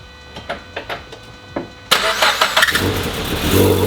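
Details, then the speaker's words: Turbo-swapped Subaru BRZ, first start still on the stock tune: several starter pulses, then it catches into an uneven, lumpy idle. Rough running is expected until the custom tune. The radiator, damaged by the AC condenser, is leaking coolant from the front. "it sounds it sounds very rough right now because like i said the stock tune is on it i just wanted to get it started hear it see what it sounded like make sure everything was running properly"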